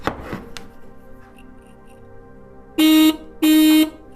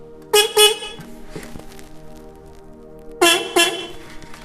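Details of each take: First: Original Kawasaki dual horns on a 1987 Kawasaki GPZ600R (ZX600A) Ninja during rebuild, powered up: two short buzzy blasts with a thin, nasal low note, feeble and reedy, "like a dead squirrel"; weak horn tone. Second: New replacement horns for a 1987 Kawasaki GPZ600R (ZX600A) Ninja rebuild: two loud short double toots, clear bright steady pitch; horns strong and working properly.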